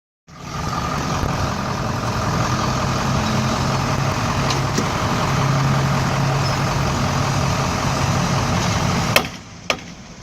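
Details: 2007 GMC 4x4 truck rolling: loud sharp snaps from the front end, bad enough to stop the truck rolling, caused by a broken ball bearing in the front wheel hub.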